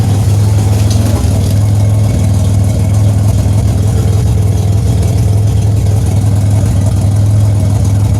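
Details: 2007 Grand Prix with ZZP XPZ cam, cold start, heard at rear: steady idle with deep fast puffing chuff; exhaust escaping at flange with no gasket fitted yet. Exhaust leak.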